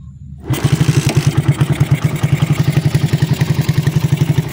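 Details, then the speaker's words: Raider 150 carb motorcycle after top overhaul (scored cam and cam holder repaired), kick-started on a weak battery: steady, even low putter at idle, no ticking or clatter from the head; quiet, healthy top end. "So tahimik na mga Diyas, nirepair natin yung kanyang sa head."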